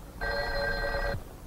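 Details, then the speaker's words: Electromechanical step-by-step Strowger switch demonstration: after the last digit 6, the connector sends ringing current out on the called line; one clean bell-like ring of about a second over a quiet room, normal. "the connector now sends ringing current out on the called line until the receiver is raised"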